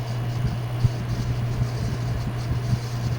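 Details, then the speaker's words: Old ceiling fan with soaked, droopy blades, on medium speed: steady low motor hum with irregular ticks and rattles; bearings sound worn. "there's a huge difference between low and high I mean low and medium see there oh the bearings are not"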